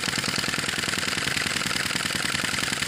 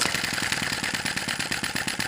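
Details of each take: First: Sai Hu V1-45 flame-licker vacuum engine, hot and running with a smaller flame at its typical speed after refuelling: quick, even, light ticking with a thin hiss, about three to four beats a second; runs smoothly. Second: Sai Hu V1-45 flame-licker vacuum engine (brass cylinder, piston, flywheel) warming up during start attempts: quick uneven puffing chuffs, eight to ten a second, almost catching; flame possibly too small, being adjusted, cause unconfirmed.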